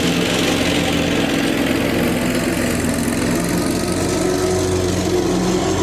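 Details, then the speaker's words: Lawn tractor after fitting an electric fuel pump to fix a fuel problem, out on grass: constant, even mower drone with no misses or surging; normal running. "I put on different fuel pumps they just didn't work put on an electric fuel pump bang it works"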